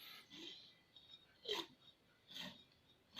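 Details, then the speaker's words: Reliant high-compression engine, out of the car and turned over by hand, with one valve stuck: quiet puffs of hissing air roughly once a second as the cylinder builds compression; the piston evidently clears the stuck valve. "So you can hear compression-y stuff going on in there. Clearly the piston doesn't hit that stuck valve, so that's encouraging."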